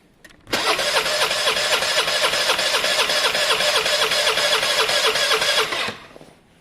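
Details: Motorcycle that sits for weeks cranks slowly at about four beats a second for five seconds and never catches. Owner suspects a flat battery needing a charge.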